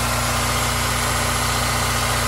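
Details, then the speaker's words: Wrecked 2002 Honda S2000 with passenger-side front damage and stock exhaust; oil and coolant good. It fires right up and settles into an even, steady, smooth idle with a low pulse and no ticks, misses or surging: normal idle. "Oh, she fired right up. Oh yeah, very nice. Yeah, this thing sounds pretty smooth."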